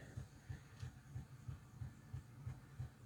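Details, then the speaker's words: Golden Valley Hobbies Janus 0-6-0DE model shunter, new out of box, not run in: deep even thud about three times a second over faint motor hum, shaking the track; drive thumping, cause unclear. "pretty sure it shouldn't be making that thudding noise. Even without being running, I don't think it should be making that thud. It's moving the track a fair bit as well."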